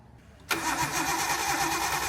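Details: RB-swapped Nissan 240SX on a stock ECU with no mass air flow sensor, after a standalone was removed: a click, then even-rhythm cranking that never fires; spark appears present and the cam angle sensor is suspected, not confirmed.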